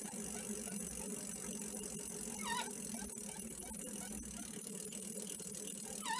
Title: squeaking/creaking noise not as frequent as before